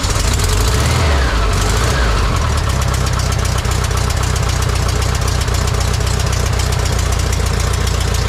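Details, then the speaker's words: 1968 VW Bay Window bus, air-cooled flat-four refreshed and reinstalled, fuel tank cleaned, first start: catches and settles into a busy, even idle with steady low chatter and no odd knocks; carburetor set up nicely. "that means that carburetor's set up nicely it's all ready to idle"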